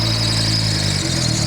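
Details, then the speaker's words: Turbo Nissan 240SX S14 warming after three years stored, untuned with surging idle, radiator fans on, fuel pressure about 43.5 psi; thin high squeal steady over lumpy idle; squeaky accessory belts. "Makes all the right noises. We got fans on, got some squeaky belts."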